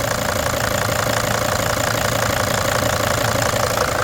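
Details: Mercedes-engined five-cylinder Freightliner Sprinter van diesel, started after patching a leaking number four injector: steady, even clatter at idle about three beats a second, no hiss or puffing; running normally.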